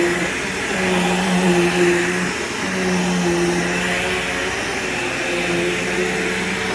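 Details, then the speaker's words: Bagged vacuum picking up scent beads: steady even motor roar with smooth airflow hiss and brush roll hum, no rattles or surging; works perfectly fine with a good brush roll; normal running. "so this thing definitely works perfectly fine it has a nice good brush roll in it"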